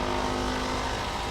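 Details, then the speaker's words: Engine bay of a car with a misfire, A/C cutting in and out (possibly needs a charge): loud rough roar with harsh whirring over idle; A/C compressor sounds very unhealthy, cause unconfirmed. "Ooh, I hear that compressor. That sounds very unhealthy."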